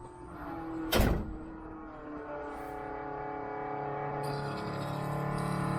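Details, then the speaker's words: Jeep CJ-7 converted back to electric Holley Red fuel pump, gauge fitted; after a thump a low electric hum rises and steadies as pressure builds, gauge needle moving slightly; normal fuel pump priming. "that sounds more like a pump that's building pressure up I saw the needle move slightly"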